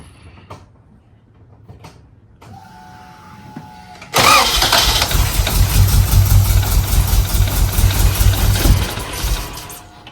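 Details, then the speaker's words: Acura Integra that began idling very high on the highway, first start after throttle cable adjustment: clicks, then lumpy uneven running with strong fuel smell; running rich, injector suspected, chipped GSR ECU tried next. "I can smell a lot of fuel so I'm wondering if it's the in the injector"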